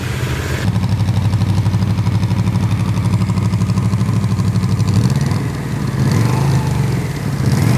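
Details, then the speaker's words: Barn-find Yamaha Vmax V4 running after a loose ground was fixed so the gauge and cooling fan now work, fan audible: deep, even pulse but a muted, thin exhaust note lacking punch; flat exhaust, owner thinks these exhausts must go. "It really doesn't sound that great. Like as far as meatiness, you know? I think these gotta go. Yeah, it sounds kind of lame."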